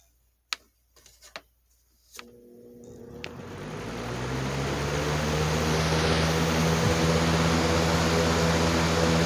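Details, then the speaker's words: 2019 Lasko Cool Colors 20-inch box fan, phone on table beside it: motor spins up to a steady drone with low hum throbbing through the table; balance vibration, blades intact, no shaft play, cause unclear. "I'm going to turn the fan back on to where you can see the the vibration here"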